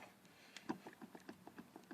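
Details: 1995 Dodge Neon sedan with highway steering shudder: quick, light clunks as the front wheel is rocked by hand, from a worn inner tie rod; ball joints, outer tie rod and wheel bearing were checked good.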